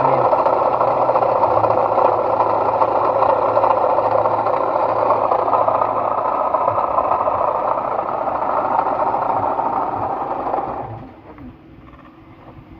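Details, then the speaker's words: Proton Waja engine at idle with a harsh, gravelly, steady roar, and coolant not circulating: symptom of a failed water pump bearing, heard before the pump is replaced. "Dia ada bunyi kasar. Kita start. Ha nampak dia bunyi dia kasar macam bearing water pump tu dah rosaklah."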